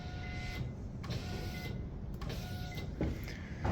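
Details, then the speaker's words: Walbro 255 fuel pump on a bench injector flow-test rig for a turbo 1999 Acura Integra, regulated to about 44 psi, priming for a leak test: short bursts of steady mid-pitched electric whine over a low hum; priming normally. "So I'm just going to prime the system a little bit. This should be roughly 44 psi."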